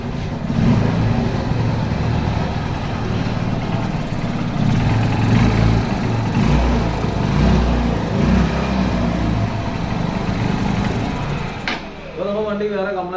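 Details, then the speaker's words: Honda Unicorn single-cylinder after cylinder kit and piston replacement for an engine noise complaint, timing marks set: quiet, even idle with no tapping or rattle over the exhaust beat; engine now silent and running healthy. "കാര്യങ്ങളോ ഒന്നുമില്ല. വണ്ടി നല്ല രീതിയിലുള്ള Silent ആയിട്ടുണ്ട്."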